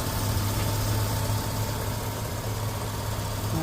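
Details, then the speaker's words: 2004 Chevrolet Avalanche 4x4 V8, about 20 years old, idling after water pump and hose replacement, coolant holding with no leaks seen; steady, even low rumble with no knocks, squeals or misses; normal idle. "works so you can hear the engine running we got it all buttoned up she's holding fluid so far"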